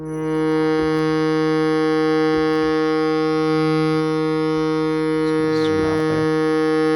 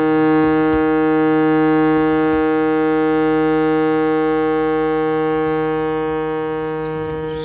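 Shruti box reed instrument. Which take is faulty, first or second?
first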